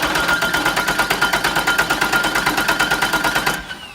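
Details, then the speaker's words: Known good four-cylinder engine cranking in a relative compression test, with a current probe on the battery cable at 100 A per division and the cam sensor on a scope. Four even, repeatable compression events with a steady beat: normal, balanced cranking. "this is a known good engine, right? And we're looking at a good trace here. So there is 4 identifiable events that are repeatable."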